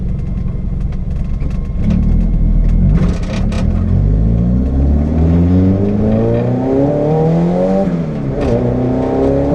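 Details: Renault 5 GTT under boost, GoPro test: pulls hard through the revs with a rough, uneven note, stumbling under load; misfire on boost.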